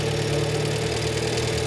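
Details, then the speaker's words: Renault 5 Gordini Turbo (Alpine Turbo) classic, idle mixture screw just richened, disliked, then screwed back to where it's happiest (screw has delayed action); steady even hum, constant low note, no misses or knocks, settled lower idle; normal idle. "I'm unscrewing that which makes it richer and it doesn't like it so I'm going to screw it back in again there we are that's about where it's happiest"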